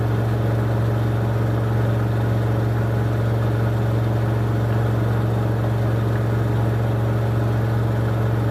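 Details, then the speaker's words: 2006 LG WM14225FD front-loader on the final 1400 rpm spin of a 60°C cotton cycle, with an unbalanced load. Steady deep hum with a rough roar and no change in pitch; owner hears the drum bearings going at 1400 rpm, though this is unconfirmed. "so there we go that wasn't too badly behaved final spin but I could definitely hear those bearings go in at the 1400 when it got to that speed"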